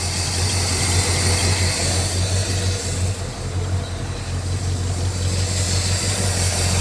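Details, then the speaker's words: 1967 Lincoln Continental V8, first runs after sitting 29 years, idling to build oil pressure before an oil change: deep, steady rumble, much quieter, the earlier valve ticking gone, now running on all cylinders; idle still needs turning down. "yeah it's way quieter you don't hear the ticking noise anymore oh yeah way better"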